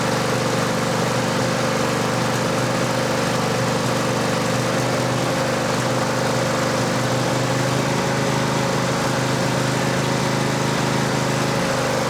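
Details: Cub Cadet LT1550 mower that came in as a no-start, with a brand-new carb and the fuel filter checked: an even idle holding with no stumbling or surging, though the mechanic says it runs a bit lean.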